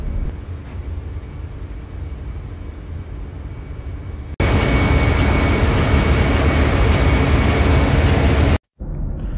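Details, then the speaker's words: Daihatsu marine generator lube oil priming pump electric motor after overhaul with new bearings: steady even hum with faint high whine over engine-room rumble, running smoothly. "now we are this thing for free will and this is good it sounds good"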